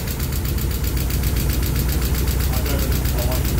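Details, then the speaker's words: Mazda Miata just finished with a manual-transmission conversion, first start after a jump start: fast, even light ticking over a steady idle. Owner suspects the release bearing or exhaust, or lifter tick from thick oil as it is due for an oil change. Unconfirmed ticking at idle. "It's probably due for a oil change. It's got a bit of lift to tick, but And it does have thick ass oil in there."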